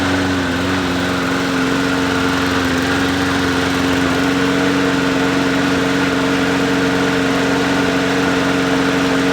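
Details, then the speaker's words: Yard Machines 20-inch push mower, just pull-started, running at a steady speed, a little smoky and burning off deposits: the muffler hisses and crackles; it needs an oil change, possibly a valve adjustment, and the blade shakes. "You can hear the muffler crackling and hissing from it."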